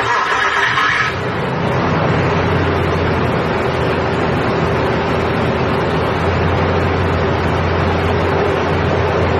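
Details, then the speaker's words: Nissan Frontier VG33E engine after rear main crankshaft seal replacement, with EGR and oxygen sensor codes still present: catches after short crank, settles into steady, even idle with no knocks or ticks; sounds healthy. "okay now let's take a start up of the vehicle and listen for any noise"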